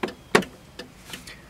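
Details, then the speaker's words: 1995 Cadillac Fleetwood left turn signal after repairing the bulb socket, in quiet cabin: crisp relay ticks at even pace, two to three per second, unchanged with brake or headlights (previously sped up); normal flasher. "when I turn the blinker on it blinks at a steady pace like the right one and when I push on the brake the speed doesn't change"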